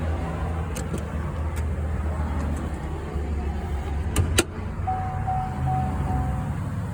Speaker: Running smooth. No toes, no misfires. So the issue has been fixed.